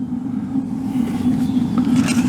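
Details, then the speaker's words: Suburban LP water heater in a travel trailer unused for a couple of years, now lit: a steady, unbroken low roar of the gas flame with no popping, blue flame seen; burner and board working. "ah it lit can you hear that over the water heater"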